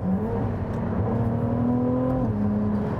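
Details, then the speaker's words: Ferrari 296 GTB, 830 hp, on a morning drive, accelerating: smooth, clean rising hum with steady tones climbing together as revs build, likened to a Nissan RB engine in an R34 Skyline V-Spec II. Normal engine note under acceleration. "This sounds like an R34 Skyline V-Spec 2. Gran Turismo fan in me makes me a very, very happy boy. I'd probably get excommunicated from Ferrari by saying that, but it's a good noise."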